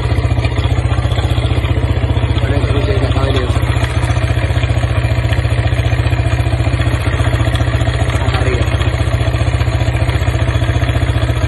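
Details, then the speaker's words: Corven Touring single-cylinder motorcycle engine idling with a rough rattling clatter; owner found small ball-bearing cage pieces on the magnetic drain plug at oil change, pointing to a failed camshaft bearing. "escucharon hace un ruido medio feito El motor es un ruido que yo ya lo he escuchado otras veces"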